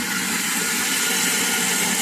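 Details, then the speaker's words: 1958 Canadian Standard Cadet toilet with original American Standard fill valve refilling: steady even water hiss, no squeal, hammering or chatter, then shuts off cleanly; fill valve working normally. "ooh beautiful shuts off about making any horrible noises like what I went through the last time"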